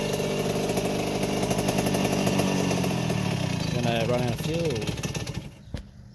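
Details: 1981 Yamaha YZ80H two-stroke after overhaul and new top end, restarted after tipping bike to oil dry gearbox cog: crisp crackle, revs held then dropping before cutting out, no gearbox squeal; normal running.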